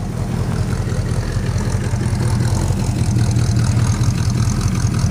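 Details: Plymouth Suburban wagon, carb cleaned and rebuilt, new distributor, ignition module, ballast resistor, regulator, plugs, wires, cap, rotor, coil, vacuum lines capped: low loping idle with uneven stumbles; misfire, owner suspects intake manifold leak, exhaust leak present, runs only rich.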